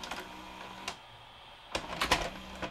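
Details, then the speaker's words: Sharp VC-H972 VHS VCR after no-parts repair of a failure to complete loading (mechanism cleaned, motor now with more torque): quiet clicks and short soft motor whirr as tape ejects, no grinding or clatter; much quieter than before, loading mechanism healthy. "definitely much quieter than it was. Before it was very noisy."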